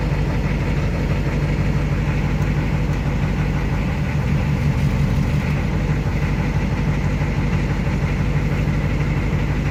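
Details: Ford ZF5 S5-47 manual transmission, supposedly good used unit: steady low drone with faint constant tone near 160 Hz; teardown found rear countershaft bearing race spinning in the case, 0.006" countershaft endplay, bearings only minor pitting.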